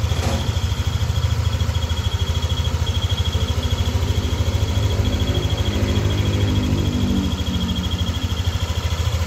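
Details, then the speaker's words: Yamaha NMAX V2 at warm idle: an even thump with a thin, high, pulsing whistle over it. It appears only once the engine is hot and disappears when revved. This is the whistle at warm idle, from a failing bearing near the water pump and cam. "So ngayon para siyang pumipito. Yan. Pumipito siya pag mainit na yung makina pero pag ni-red mo, nawawala."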